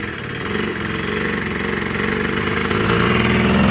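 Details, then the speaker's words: Yamaha Blaster two-stroke after the stock exhaust pipe was cut to make it less restrictive, plus a new air filter and performance parts, warming up: a crisp, rapid buzz climbs in pitch and loudness as it revs, firing evenly with no misses. The note is noticeably different. "Right off the bat, you can tell there's a totally different sound to this piece."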